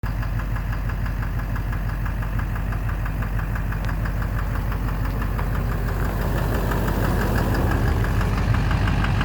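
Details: 2009 Silverado 3500 Duramax LMM diesel, 59,900 miles, idling with a steady low rumble and a faint knock about three a second; knock started intermittently at 57,500 miles, oil analysis normal; owner suspects bottom end, injector, flexplate or a pulley.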